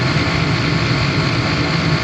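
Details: Residential gas furnace inducer fan running noticeably loud during a flame check: a steady, heavy low hum with a constant drone and no change in pitch. Slight flame lifting was seen between the three burner tubes.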